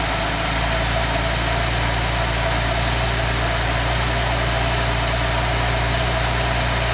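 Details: Engine on a test stand running on the existing ECU to confirm the setup works: steady even idle with a smooth low thrum and no misses or knocks; normal idle.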